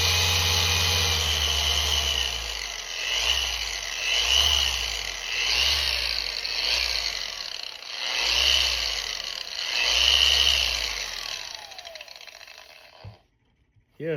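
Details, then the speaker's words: Rupes LHR15 Mark III polisher, first run after factory service repair (some worn lower parts apparently replaced): smooth, even high-pitched whir with gentle swell as the pad orbits, no rattle or grinding; runs like brand new. "it seems to be working like brand new um I think they replaced some of these pieces down here too mine were kind of chewed up"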